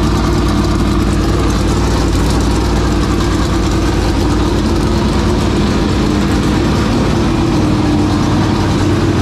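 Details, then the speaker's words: 465 cubic-inch race engine cranked back up after sitting three years, hunting an oil leak splashing onto the belt: loud, rough V8 runs steadily at a fast idle with no clear stumble, then dies; a fuel pressure issue is suspected. "okay so we might have a fuel pressure issue"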